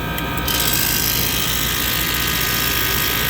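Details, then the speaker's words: Prep table refrigeration condensing unit at start-up after rewiring: a harsh, ragged rattle and hiss from the compressor, running rough from damaged valves. "the compressor sounds like junk so we're gonna turn it off real quick okay and we're gonna go and put service gauges on it so it started but it's just sounding really rough"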